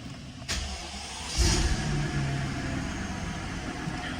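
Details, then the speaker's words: Mercedes-Benz S600 W221 facelift during service, engine started for oil level measurement and left idling half a minute: click, quick crank and catch, then smooth even low idle with no knocks or ticks; normal start and idle. "Perfect, and we'll just let her run idle for half a minute."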